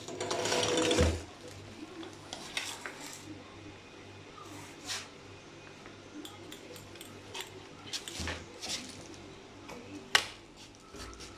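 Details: Low, rough grinding whirr with scattered clicks and rattles at low motor revs on an e-bike conversion kit with a new controller; cause unknown.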